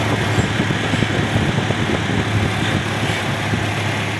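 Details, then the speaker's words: Toyota Innova petrol after repairing engine oil leaks (valve cover off, accessories removed), cleaned fuel filter and spark plugs refitted: even, steady low idle with no knocks, misses or hunting; running normal and smooth. "Udah normal ya, udah halus ya, ya."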